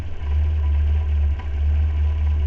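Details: Renault 4L with a Cléon 1108 cc engine idling right after an electronic ignition module was fitted in place of the condenser: a smooth, even low rumble with no misses or knocks. CO later measured 1.5 before and 0.1 after. Normal idle.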